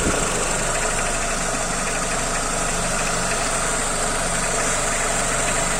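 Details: Renault/Peugeot AL4 automatic transmission: fast, even knock over a steady idle that spreads through the whole engine and is easily mistaken for valves, camshafts or hydraulic lifters; loose riveted torque converter knock.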